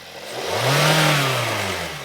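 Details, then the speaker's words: 2020 Hyundai Tucson 2.4L with code P1326, which had refused to rev past 1000 rpm or upshift: after the code is cleared, the engine revs smoothly from idle and settles back evenly. A failing sensor is suspected of triggering fail-safe mode. "Rev it up. All right. You see how even the RPM changed because I cleared the code."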